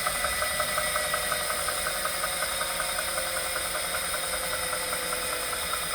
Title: Wahoo Kickr Core whining/knocking sound